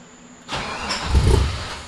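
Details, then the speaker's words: LS-swapped BMW E36 started after power steering line repair and harness install, already test-driven: quick crank catches at once, flares and drops to smooth steady idle, no whine or knock; healthy. Some leaked fluid residue still remains. "I'm gonna just go ahead and start it up, let y'all hear it, let it idle for a little bit, and we'll call it from there."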